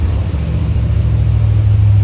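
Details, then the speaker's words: C3 Corvette after dash wiring harness work: deep steady exhaust rumble at very high idle that won't drop, dieseling on shutoff; cause unknown, timing and idle to be checked, alternator belt squeaking. "You can hear the dieseling that's about to happen. It's idling super high. I don't know why."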